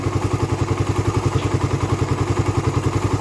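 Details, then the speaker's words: Raider 150 carb motorcycle, hot idle: sharp regular clacking about 214 a minute from the head; quiet when cold, clacks once fully warm; owner suspects compression release or tensioner, unconfirmed. "bakit ganon pagka malamig tahimik naman siya kapagka uminit na siya yung maiinit na talaga siya ayan kumakalas na siya ng"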